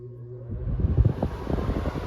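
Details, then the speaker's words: RV window air conditioner ("window shaker") mounted in an acrylic awning window with wood blockers, just switched on in high cooling mode: quiet start, then a low fan and compressor rumble rising to a steady, fairly loud drone. Normal operation. "This is the high cooling mode. So, like most window shakers, it is fairly noisy."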